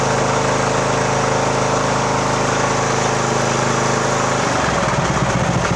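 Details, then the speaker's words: 2014 Poulan riding mower, 14.5 hp single-cylinder, just started with choke in neutral during tune-up, idle speed then adjusted; steady, even chug with a tone shift partway, no misses or knocks; running fine. "that runs good okay"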